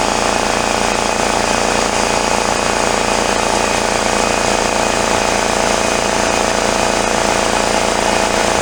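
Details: Free discarded 33-gallon Craftsman air compressor, restarted after bench repair and tightening a leak: loud, rapid, even piston chatter with buzzy rattle; pumps normally without stalling.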